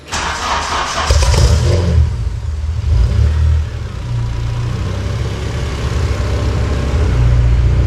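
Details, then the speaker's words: Race car with DC2 parts at cold start; engine catches quickly and settles into a steady, even, slightly raised cold idle with a faint throttle blip, sounding healthy. "Do you want to turn the key for us? Yeah. Cold start. Cold start, yeah."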